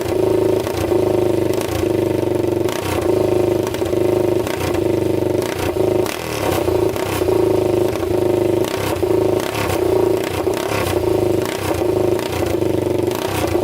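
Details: 1999 Honda 400ex quad, freshly rebuilt engine with a new piston on first start, no muffler, air box on: loud open-pipe single thumping steadily with throttle blips, no miss or knock; running clean and healthy, no smoke seen.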